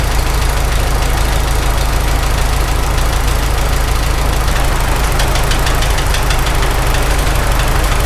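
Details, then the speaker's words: Farmall H tractor engine at a rough idle with a loose rocker: uneven knock about three a second that comes and goes after restart; owner thinks it is definitely cylinder number 3, exact source unconfirmed. "It's kind of coming and going. Weird. Gosh. I think it's definitely on number 3 though."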